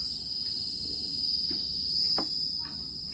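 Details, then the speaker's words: Yongma digital rice cooker that powers on but won't cook: thin steady high-pitched hiss with faint cricket-like chirps from inside; repairer suspects voltage dropping, fault still unknown. "terdengar desis ngerik kayak jangkrik, kayak voltasenya kayak drop gitu ya."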